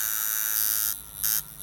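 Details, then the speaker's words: Camber Custom flat-spring coil tattoo machine at 7 volts, first step of a 7-to-10-volt sweep: high, even buzz in short bursts, steady pitch, still soft and light; running normally. "so that's it it's still soft that's at 7 volts"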